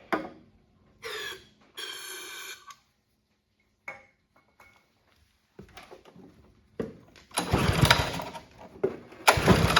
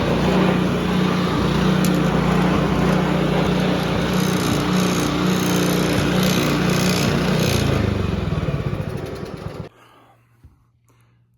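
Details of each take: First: Honda HRB215 push mower stored for years, on choke with starting fluid before carb cleaning: catches in ragged one-to-two-second bursts then dies each time; fuel starvation from plugged carburettor jet. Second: Free Honda HRB215 push mower, stored for years and not running, after carburettor cleaning and reassembly: smooth, even running at steady speed with no misses, then clean shutdown; runs great.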